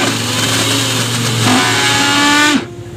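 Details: Mixer grinder running with a loud, harsh high-speed motor roar and rough rattling edge, before repair; coupling removed to trace the cause to a worn shaft bushing (sleeve bearing).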